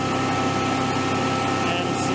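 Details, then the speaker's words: Generac/Honeywell standby generator with overspeed failure, after battery reconnected and cleaning: engine running fast with drone edging upward, still high rpm; cause undetermined, wiring or control module suspected. "it cranks a little faster still high rpm"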